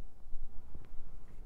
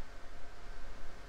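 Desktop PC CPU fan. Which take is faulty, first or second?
second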